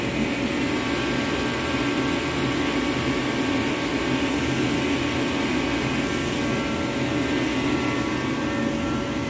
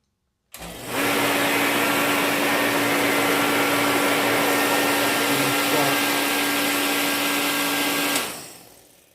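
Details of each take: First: Reddy Heater Pro 150 after cleaning the nozzle and changing fuel lines, loosely reassembled with airflow not yet adjusted: a steady, even burner and fan roar with no surging or sputtering. The nozzle is believed to have been the main fault, and it now runs normally. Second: Reddy Heater Pro 150 forced-air heater, previously nozzle cleaned and fuel lines changed, ran once then failed to restart: blower rushes steadily, spark present but no combustion; nothing coming from the fuel line, fuel filter being replaced as suspected cause.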